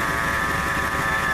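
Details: 1997 Ford F150, warm restart at idle: steady high-pitched accessory-belt whine; laser thermometer shows idler pulley at 132° versus about 100–115° for other pulleys, so owner suspects the idler pulley.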